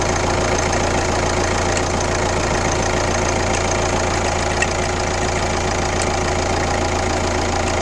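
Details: Kia Ceed 1.6 CRDi diesel (D4FB engine), 115 km, at idle: rough, uneven tapping about three times a second over the diesel clatter; an abnormal engine noise whose source is unclear.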